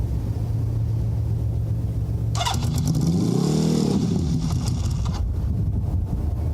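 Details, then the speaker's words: Honda CB650 after fitting Ricks Motorsports CDI units to cure a cylinder-three misfire, now warm, choke cable not yet fitted: even idle and a clean blip, firing on all cylinders; CDI confirmed as the issue. "Oh yeah, she's hot now. Yeah, it's firing."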